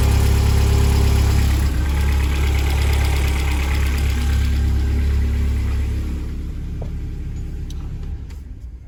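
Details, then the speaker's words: 2008 Vauxhall Astra VXR Z20LEH engine after timing belt, water pump, tensioner and idler replacement: starts straight away and settles into an even, steady idle with no knocks or rattles; normal start and idle. "You can see that struck straight up there, everything sounded nice. All you're looking to do is just strike it up, just make sure it sounds okay."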